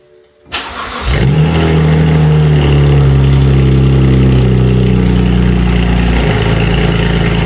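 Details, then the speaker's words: First cold start of the season after months in winter storage: brief crank, then a loud, even fast idle with steady low rumble, firing on all six cylinders, no misses. "Woah! He's noisy. He is noisy. We got to let it warm up for a little bit."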